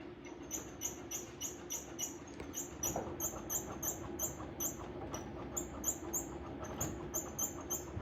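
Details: Embroidery machine running: a sharp, high, chirpy squeak two or three times a second over a low running hum. The source of the noise was located, but no fix is given. Squeaking noise.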